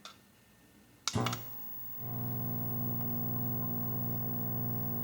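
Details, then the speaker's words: Nintendo Mario Bros arcade cabinet, 20EZ audio, ground loop on remote board removed again at same volume: after a click, constant low buzz with thin whine, same or noisier; mains hum through amplifier, source unknown. "seems like it's the same if not a little bit noisy more noisy noisier more noisy"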